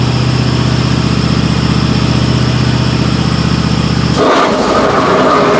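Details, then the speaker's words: Cub Cadet XT1 Enduro garden tractor, deck engaged after washing: steady engine hum then harsh gritty grinding roar, loud racket and abnormal vibration; spindle bearing starting to fail in mower deck spindle. "all right as you can see that's pretty dead gone loud and annoying on that so first thing that comes to my mind down that and I hear that we got a spindle bearing that's starting to go out on it"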